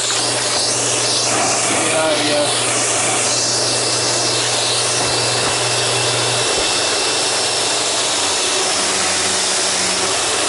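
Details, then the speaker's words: Sharp Twin Energy upright vacuum after a tune-up, with the brush roller run in and lubricated and the old filthy filters still fitted. A steady motor hiss with a constant high tone and no knocking or grinding: running normally. "yeah that brush roller is moving smoothly now that it's run in there and I've worked some lubrication into it"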